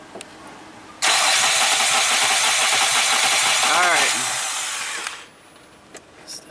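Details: 2002 Nissan Maxima with misfire codes, cranking with pedal to floor for about five seconds, amp clamp on negative battery cable for relative compression test: steady starter whirr with uneven rhythm, no firing; abnormal cranking.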